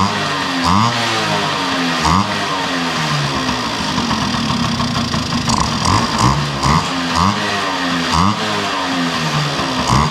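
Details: 1971 Yamaha Mini Enduro two-stroke after carburetor cleaning, muffler now tightened with its washer installed: crisp, even popping with a few throttle blips settling back cleanly. Normal idle.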